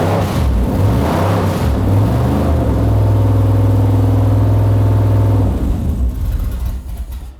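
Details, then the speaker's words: Mazda RX-7 with V8 on brand new carburetor, first start before setting idle screws and timing: catches after a few stumbles, then steady deep burble with even firing; sounds good. "All right, she's in there. It sounds good. Brand new out of the box carburetor."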